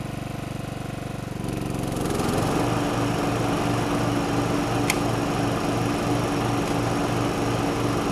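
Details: 1989 John Deere RX75 riding mower cutting grass, possibly cutting a little low: small single-cylinder engine holds a steady, even beat with a smooth blade hum. Running healthy under load, with no issues.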